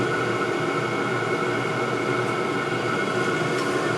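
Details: All-in-one 12V/24V/240V diesel heater at full output on a 24V supply, body temperature 130°C, set temperature 12. Steady even roar with strong fan hum and constant airflow hiss, no knocks or surging; burning cleanly.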